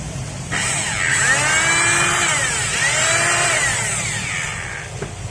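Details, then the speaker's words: Rotary hammer drill in for service, slipping and unable to drill, before repair: the motor spins to a high whine that swoops up and down with no hammer blows. The drive slips and the drill head isn't rotating. "But the drill head doesn't rotate, if this is for sleeping, the head won't turn, but it can drill,"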